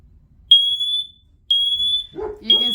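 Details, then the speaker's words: Ecoey smoke and carbon monoxide combo detector, 10-year battery, test button pressed: loud piercing tone in half-second blasts with voice announcement; alarm sounding normally on test. "And we're going to hit the test button on this so you can hear how loud and obnoxious it is."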